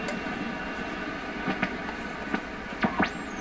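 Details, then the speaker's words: PYE 39HC shortwave receiver on first test after replacing a large electrolytic capacitor and other components: constant non-atmospheric hiss with clicks and a faint whistle while tuning. Owner suspects an alignment issue or a repair mistake. "That hiss we hear, I don't think that's atmospheric."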